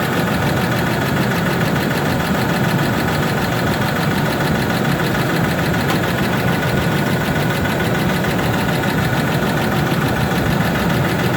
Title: F150 4.2l ticking noise with already rebuilt engine need help!